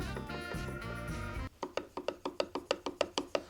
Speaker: hopefully you can hear that knocking. What I want to do is find the point in between where it knocks two times.